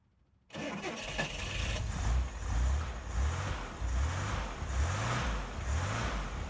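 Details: 1961 Chevrolet Corvair Lakewood just after installing FAST XR 700 optical electronic ignition to fix no-spark issue: starts much easier, then slow lumpy idle with a low pulse about once a second; idle set too low, to be raised at carburetors.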